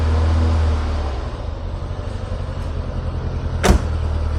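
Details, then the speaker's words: Citroen BX 16V started stone cold at wide open throttle before repair: lumpy, uneven chugging with irregular stumbles, spluttering and lots of smoke; flooded and misfiring from a leaking fuel pressure regulator. "So, it's actually misfiring full stop now. As you can see, it runs, but it runs like crap. Very lumpy, lots of spluttering, lots of smoke"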